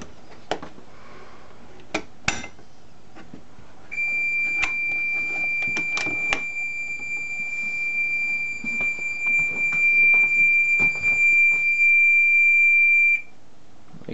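A few handling clicks, then a steady high-pitched alarm tone holds evenly for about nine seconds and stops cleanly; the alarm is working.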